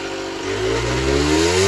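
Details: Generic Trigger SM 50cc two-stroke on a temporary fuel tub with a stiff old throttle cable: pitch climbs by itself over a couple of seconds with nobody on the throttle. Revs rising unaided; owner suspects an air leak, later found around the intake manifold, plus blocked jets.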